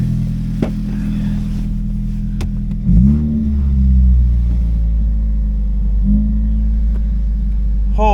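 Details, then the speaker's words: Turbo Focus ST sidewinder build, first real startup in about 28°F cold, coating burning off: deep even idle with one quick rev dropping back cleanly and holding steady; normal idle. "oh my God that was perfect that sounded so good"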